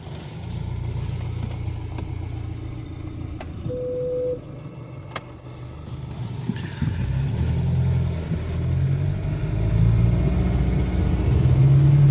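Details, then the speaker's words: Jaguar F-Pace 204DTD diesel after a home rebuild, injector sound deadening not fitted; deep, even clatter climbing cleanly as revs rise, no knocks or odd noises; running well. "now it's running great uh sounds like a diesel so to be expected I guess"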